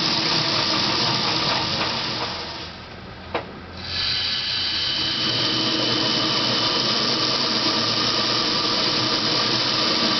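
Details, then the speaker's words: Dodge Daytona EV with a NetGain WarP 9 motor, on jack stands, run at about 500–1000 rpm in neutral with and without the clutch, then in first gear: high whir with a gritty metal-on-metal rasp; cause unclear. "okay so that was just accelerating up to I don't know about between 500 and 1000 rpms with the clutch are basically in neutral with the clutch engaged and then same thing with the clutch not engaged and then finally with it in first gear with the clutch engaged doing the same thing so anyway that's kind of the sound th"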